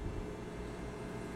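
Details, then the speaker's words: Steady low mains hum with fixed buzzy tones over hiss on a PA speaker setup, caused by the ground connection; a ground loop before fixing it with an isolator made from an old 12 V AC adapter. "now that annoying buzz is because I had the ground hooked up"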